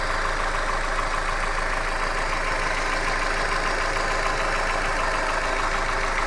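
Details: Hyundai Accent at idle: busy, uneven tapping about three knocks a second runs through the steady idle; engine knock, source not pinned down.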